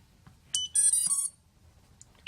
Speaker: and now we have a green light on there. See the little green light flashing? That means it's receiving a signal.